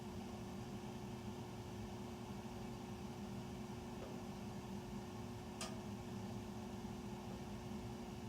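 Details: Furnace running after 10 PM (08-20-14), heard through the main duct across three levels and recorded here in the utility room. A steady low drone with a constant hum and an airy rush from the ducts; the furnace is loud and no cause is clear.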